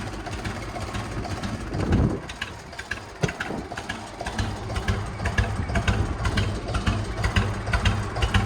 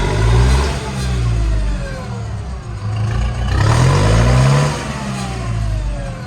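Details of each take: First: Lumpy, uneven putt-putt idle with a loping beat about twice a second from a computerized tractor; owner suspects computer issues and it seems to fire on only 2 cylinders, throttle doesn't help, not confirmed. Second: Late-1990s or 2000s lawn tractor that wouldn't rev at all and needs a starter solenoid; after key cycled off and on, small engine now picks up cleanly through rev rises and settles without stumbling. Owner suspects a computer issue.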